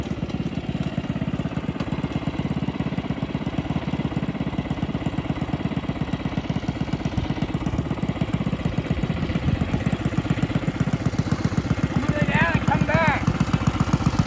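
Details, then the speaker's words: Custom yard go-kart small single-cylinder engine, fresh oil, revved hard: fast uneven slapping clatter over the engine after being spun once; suspected chain misalignment or bearings, not confirmed. "They spun it once, and now it's not sounding too good with the chain."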